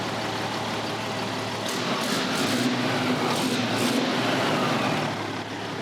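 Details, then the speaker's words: Big diesel truck on first start after new batteries and Pypes 7-inch exhaust stacks: settles into a steady, even low-rumble idle, oil pressure 50 at idle, no knocks or rattles; healthy and clean. "Oh, that sounds so good. Those Pypes exhaust sound amazing."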